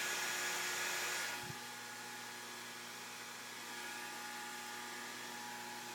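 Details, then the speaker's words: Mean Well SC 1048 power supply used as an e-bike charger, delivering about 14 A with voltage untuned: faint constant hum with thin high hiss that drops after a second; supply hums under heavy charging load. "you can actually hear these this power supply stream i mean 14 amps it's actually humming a bit"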